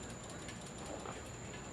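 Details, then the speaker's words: Harley-Davidson being started after wire harness repair; rapid, light, even clicking from the starter relay with no cranking behind it. The relay is sticking and has to be tapped every start; float bowls also suspected of sticking, fuel dumping from overflow. "No, the relay, every time it wants to start, you have to tap the fucking relay, man."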